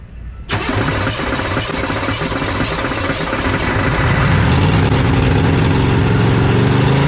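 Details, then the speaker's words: 1986 Chevy 1-ton dually, 6.2 L Detroit diesel, sat 22 years; runs at a harsh uneven idle with gritty grinding on top, which the owner suspects is the starter stuck engaged on the flywheel. "sounds like the dang starter is stuck like it sounds like it's stuck on the flywheel because every time this engine starts running I hear that starter thanks some something sounds really bad"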